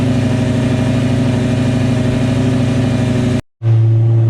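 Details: 2004 Lamborghini Gallardo V10 after installing test pipes and a Supersport X-pipe exhaust: deep, even rumble that cuts out briefly, then settles into a smooth, steady idle; healthy engine running cleanly.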